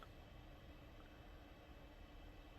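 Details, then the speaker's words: Late 2009 21.5-inch iMac A1311 after RAM and SSD upgrade, restarting: steady, even rushing whir of the cooling fan at full speed during boot; it went quiet once booted. "Let this restart. There you go. Okay, right now I hear the fan going."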